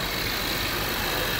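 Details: 2013 Jaguar XJ after a PCV diaphragm kit fix for lean codes P2187 and P2189 (banks 1 and 2). Earlier a vacuum-leak hissing came from the right valve cover; now a smooth, steady idle with an even hum and no hissing or stumble. Normal idle.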